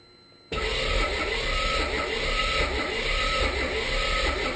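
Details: 1984 Mazda RX-7 rotary cranking at a steady rhythmic churn, about two pulses a second, but never firing. Spark good on leading and trailing plugs, timing correct, Marvel Mystery Oil added to the intake, fuel reaching the carb; owner suspects low compression from a stuck seal or slow cranking speed.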